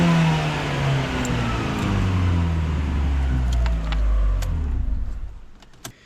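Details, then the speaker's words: Abarth turbo Panda after a track day, accelerator pedal replaced, checked with live data: engine picks up and revs cleanly, throttle body audibly moving, then settles and winds down with a few light clicks; normal throttle response. "I can hear the throttle body moving."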